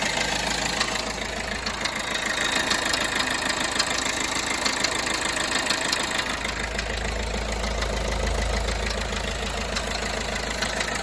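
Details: Peugeot Bipper Tepee 1.3 HDi (JTD) diesel at idle: rapid, fairly regular light knocking about three beats a second; unexplained knock, cause not confirmed.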